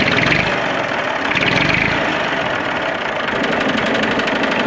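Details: Massey Ferguson 35X diesel tractor after fuel bowl gasket replacement fixed the fuel leak; steady even diesel clatter at idle, no misses or surging; normal idle.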